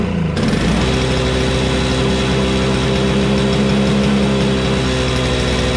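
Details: Toro Snow Commander two-stroke snowblower (electric start removed), cold start after sitting weeks, primed, good compression and magneto: fires on the pull once given gas and settles into a steady buzz with no surging or misfires.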